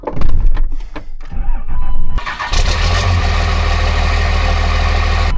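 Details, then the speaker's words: Cummins diesel before its swap into a VW bus: the starter grinds briefly, then the engine fires at once and settles into a steady, even low rumble at idle. It starts and idles normally. "Oh, the old girl just runs sweet."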